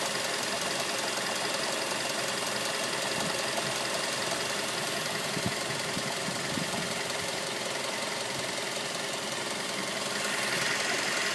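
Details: 2006 Mazda 3 petrol engine running with a steady, fairly even knock about three beats a second over the hum — engine knocking.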